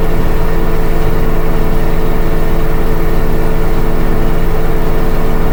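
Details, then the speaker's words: LG WM3600HWA direct-drive front-loader, about 4.5 years old, Normal cycle with Extra High Spin and two coats. Steady low drum roar with a regular thump about 2.5 times a second from a slightly unbalanced load; otherwise normal. "Bit shaky, I could feel the vibration. But it sounds like we're continuing to speed up. Hopefully. That's like 1150 or something."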